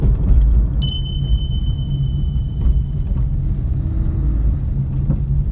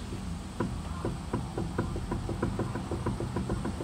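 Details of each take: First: Suzuki Alto test drive after replacing the steering rack with a rebuilt unit, cured clunking over bumps and manholes caused by inner tie rod play: steady low road rumble, no knocks when turning or over bumps. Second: Suzuki Alto on a lift that clunked over bumps and manholes: the wheel rocked left and right gives sharp, hollow knocks, play in the inner tie rod ball joint at the rack; tie rod end was fine; the steering rack is to be replaced with a rebuilt unit.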